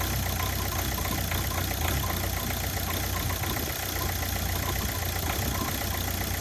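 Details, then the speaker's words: Ford Focus diesel after replacing the original vacuum pump: steady idle with even, light clatter and no pinging or misses; the light pinging heard on acceleration is gone. Normal diesel idle. "So it's definitely an improvement on what it was. And after the test drive, I noticed that the noise I would have on acceleration, the sort of like a light pinging, had disappeared."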